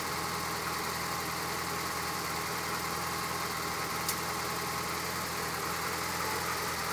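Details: Lotus Esprit SE on a cold start: steady idle with one sharp metallic tink, which recurs until the engine warms up. It sounds electrical, but no spark is visible; owner hopes it is the exhaust expanding. Unconfirmed.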